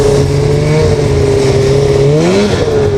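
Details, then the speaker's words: Snowmobile with power valves, riding at high speed: loud two-stroke drone with wavering, sagging pitch, boggy, almost like running on one cylinder; owner suspects dirty power valves, and cleaning them fixed it. "Yeah, so I don't know if you guys can hear it on the camera, but at high speeds, it starts to get a little boggy. It almost sounds like it's running on one cylinder,"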